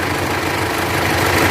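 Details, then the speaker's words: Mitsubishi L200 Triton 3.2 diesel at idle before repair, no warning lights: loud, fast metallic clatter over the steady idle; worn timing chain rattle, chain replaced. "E aí ó ó tá vendo aí pessoal jeito que tá o barulho do motor dela tenha Corrente Comando você não tem outra coisa"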